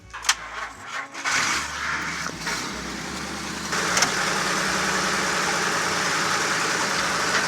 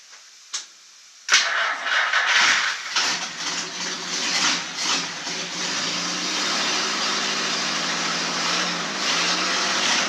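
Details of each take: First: 1949 Chrysler sat 60 years, starter solenoid repaired, fuel poured down the vent tube to get it going: several short cranking bursts and stumbles before catching into a rough, uneven idle; hard start pointing to fuel delivery. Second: 1949 Chrysler that sat 60 years, after a starter solenoid repair and with gas splashed in: the starter cranks briefly, then the engine catches and runs steady and even with no knocks or grinding.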